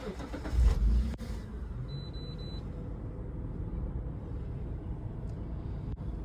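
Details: 1999 Mitsubishi Pajero Wide Exceed, warm start: a quick crank, the engine catches at once and drops to a quiet, steady low idle with nothing irregular heard; normal start, no dash lights.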